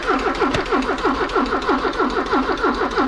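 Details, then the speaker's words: 1984 Porsche 944 that sat a couple years, cranking; steady even cranking about ninety turns a minute, spinning freely but never catching, no spark found at the ignition. "okay no sparks we got no spark job that's not good for business"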